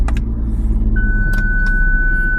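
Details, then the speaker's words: Jaguar XF started with the key fob in the centre console after fob battery replacement: steady high-pitched warning tone over idle right after start, because the reversing sensors are not working. "that noise is because my reversing sensors are currently not working."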